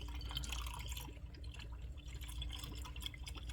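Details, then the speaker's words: BMW 440i B58 after replacing a leaking water pump, refilling with 50-50 BMW coolant and distilled water: quiet irregular gurgles and drips, roughly four a second, as coolant goes in; much air trapped, system needs thorough bleeding. "You can start hearing the bubbles and stuff. There are going to be a lot of bubbles in the system, so you will have to bleed it really good."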